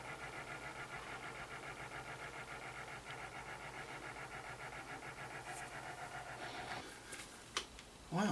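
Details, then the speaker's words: Sony BDP-S380 Blu-ray player after replacing a failed Schottky diode in the power supply: Blu-ray discs and an album just keep spinning with steady whir and faint rhythmic swish, never reading; cause unknown. "I've tried two different Blu-ray discs, Rick and Morty, Alien. I even tried an album and it's just spinning and spinning and it sounds like there's a lot of shoe shining going on."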